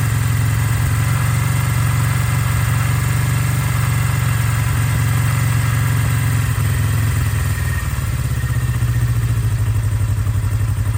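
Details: 1982 Kawasaki KZ305, revived after 30+ years sitting with carbs gone through and synced, cold start after a few days, fuel on, full choke; steady even idle, no misses, knocks or surging — normal idle.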